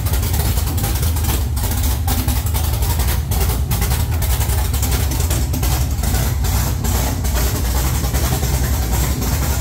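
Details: 1969 Camaro with swapped LS3 V8, Holley ECU speed-density startup tune, open headers: loud, choppy, lumpy big-cam idle, steady and self-sustaining, sounding like a pro stock car; normal idle.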